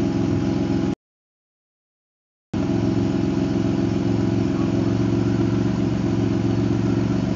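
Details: Supercharged L67 V6 after raising idle, timing table changes and fixing exhaust leaks: steady, even idle hum with no ticking, puffing or knocking; sounds healthy.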